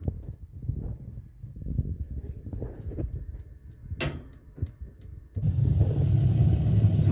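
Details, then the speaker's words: Columbia baseboard hot-water boiler that intermittently ticks without lighting: steady igniter clicking about three ticks a second, then a soft low whoosh as the burner catches; normal ignition. "yeah see the arc if you're getting arc it needs gas should be lit any day now"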